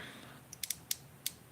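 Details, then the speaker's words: Dark Wolf Ultra Black Knight II baitcasting reel with added brake magnets: sharp, dry, irregular ticks and scrapes as the spool turns, because the magnets rub the spool unless the brake dial is set past two. "all the way i have to go past two before it doesn't rub those magnets rubbing and it does on both reels"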